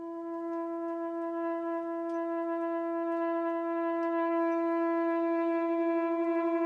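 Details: Propane garage heater with a striker and a rear lever, button held long to light: a loud, steady, horn-like moan at one mid pitch with slight pulsing on every startup; owner guesses air in the hose but doubts it.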